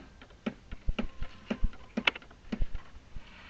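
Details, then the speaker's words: Irritrol RD-1200-R RainDial 12-station sprinkler timer, station 4 at about 61°F: irregular dull thumps and clicks several times a second as the valve rapidly pulses on and off, water hammer in PVC pipes; cause unknown, happens on any station. "now watch this look at that water hammer turns on off real quick DP dump dump I don't know why"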